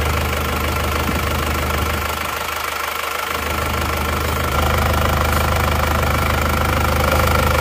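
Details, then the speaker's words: Isuzu Panther Touring diesel rebuilt (cylinder block bored, new liners) after overheating from coolant loss on the toll road, nozzle pressure readjusted from very low; steady idle clatter, even rhythm about three beats a second, speed level without stumbling. "Tapi kami sudah menyesuaikan tekanannya, sebelumnya memang sangat rendah. Oke, sudah berjalan. Suaranya halus."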